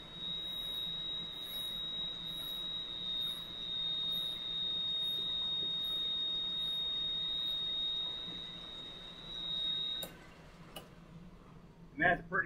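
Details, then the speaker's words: Valve refacing on a valve grinding machine: the chuck spins the valve true while the stone wheel is fed in with lubricant pumping, giving a steady high pure ring for about ten seconds as it lightly cuts the valve face, then stops; normal grinding. "this spins this valve so we get it nice and true all the way around this spins the blade and pumps the lubricant trying to come in and we're going to bring the blade in so you hear it touch"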